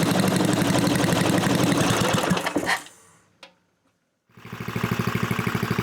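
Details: Completed new-old-stock Briggs & Stratton 5HP dual-shaft aluminum-bore engine rebuild with newly fitted kill switch; fires steadily at a fast even beat, cut off by the switch then restarted, running clean and healthy.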